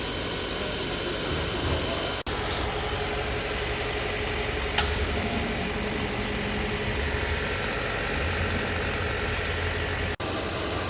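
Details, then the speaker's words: Hybrid after crankshaft position sensor replacement, engine force-run via GDS test to charge 32% high-voltage battery: steady even hum with faint high whine, no knocks, no fault codes or warning lights; runs well. "포장 코드도 없고 엔진 작동 소리도 좋네요. 이렇다 할 경고등도 없네요."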